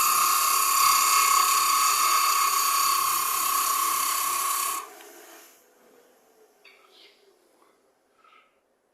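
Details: Woodturning lathe cutting a Brazil nut husk, which cuts dusty rather than giving wood shavings: steady high buzzing whine with a fast flutter, about four pulses a second, then quiet; tool chatter vibration.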